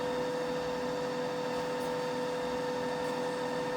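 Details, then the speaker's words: Rebuilt Bridgeport milling machine, rebuilt head in high range, spindle from 1800 up to 2,500 RPM: steady, clean whine holding one pitch at full speed, no grinding or knocking; normal spindle running at top speed. "They really can be quite challenging at times to get right. 1800 RPM, all the way up to 2,500."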